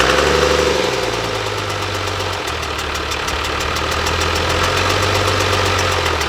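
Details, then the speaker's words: 1997 Dodge Cummins 12-valve manual diesel, wrecked front end, running briefly with no coolant: fast regular ticking, about four a second, over a rough idle. The fan is badly out of balance and touching something. "sounds like the fans touching something it's way out of balance it's definitely hit something but it actually started really freaking good that's a 12 valve cummins for you right there"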